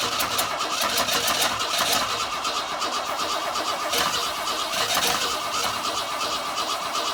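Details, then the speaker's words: 1962 Ford Falcon inline six with no carburetor, a taped washer with a quarter-inch hole metering air at the intake: thin, ragged, sputtering run with irregular pops. Rough running without a carburetor. "I'm gonna see if I can get it to start and maybe run an ish with a washer instead of a carburetor"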